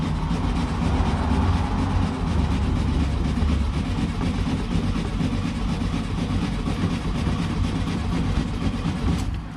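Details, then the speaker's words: 1967 VW Beetle that sat for years, first start attempt, out of gear: steady rhythmic cranking at about two turns a second with no firing; cranks but won't start, owner suspects no fuel reaching the engine. "All right. Still don't think I'm getting fuel. So maybe I am, and there's something else wrong. But I love the fact that it's turning over."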